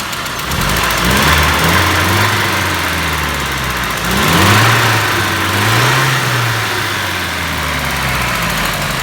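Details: ZMZ 406 engine after timing-chain kit and hydraulic lifter replacement, idling: rough rising and falling hum with a dull tapping underneath that appears after starting then fades; worse on morning cold starts; knock source unknown.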